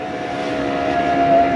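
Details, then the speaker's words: 2004 Nissan Armada power window motor, with the regulator rail fine, moving only after being struck. Thin, mid-pitched hum that sags slightly; the motor sounds weak. "ahí se ve que está medio débil en el motor"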